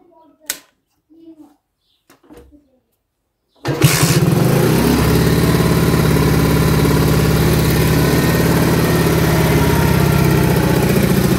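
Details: Alpha moped engine after a valve clearance adjustment with a 0.05 mm feeler gauge, done over suspected valve knocking. It catches and settles into a steady, even idle of about three and a half beats a second with no ticking from the valve gear.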